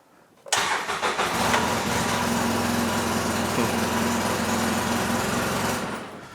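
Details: 2011 Polaris Ranger 800 Crew, previously a no-start after sitting, started after battery testing: catches almost instantly and holds a steady, even idle for about five seconds before shutting off; clean, normal start.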